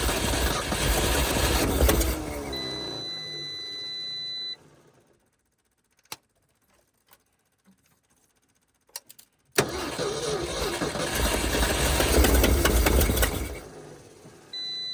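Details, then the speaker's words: 1971 Ford F250 parked 30 years, jumper-wired start at -15 °C, battery 11.8 V: two bursts of steady, slightly uneven cranking about 3.5 beats a second, never fires; owner suspects stuck valves. "Doesn't want to choke, that's weird. Sounds like it has some stuck valves. Here's some weird stuff going on there."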